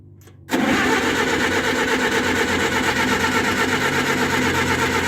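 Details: Oliver 550 gasoline tractor, warm day, previously choked and possibly flooded, fuel on, strong battery: steady fast cranking that never catches or speeds up; cranks but won't start, spark being checked, cause not confirmed.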